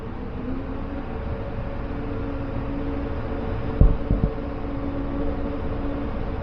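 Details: 2015 Chevrolet half-ton pickup idling with a dead miss on cylinder two, an uneven chugging rumble; plugs, wires, coil and injector already replaced elsewhere, relative compression test traced it to a worn valve lifter and camshaft.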